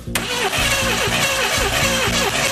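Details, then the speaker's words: Hot rod with hard starting and no idle, cranked with a spark plug wire partly pulled for a spark test: steady starter whirr with even compression pulses about three a second, never firing. The coils show good spark; the cause is not yet found. "Still having the same issues. Hard start conditions. Doesn't want to idle."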